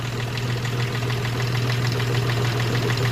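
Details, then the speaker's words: Hyundai Xcent engine at idle after timing chain work, head gasket and valve lapping, and injector servicing (injectors 1 and 3 had excess return): steady, even idle with no knocking or tapping; normal idle. "गाड़ी भी clear है थोड़ी knocking करें गाड़ी clear हो जाए पूरी गाड़ी हो गई पूरी ओके एकदम"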